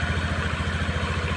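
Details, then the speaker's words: Honda Spacy scooter run without its cooling fan to test: steady, even low idle thump with no rattle, confirming the fan caused the rough noise. "Ya coba kan sudah halus sudah enak didengarlahak aklakak kayak tadi Ya memang permasalahannya ada di sini"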